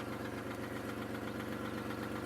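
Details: 2002 Chevy Malibu no-start, after crank sensor and ignition switch work, first start after sitting four months: quiet steady idle, soft regular pulse, no misfire; fuel leak and a rear wheel that keeps locking up.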